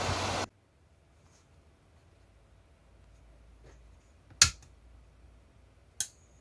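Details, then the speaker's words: Repaired inverter welding machine with cooling fan turned off to reduce noise: near silence with two crisp relay clicks about 1.5 s apart, switching cleanly; normal relay click on power-up. "Now you can hear the click of the relay."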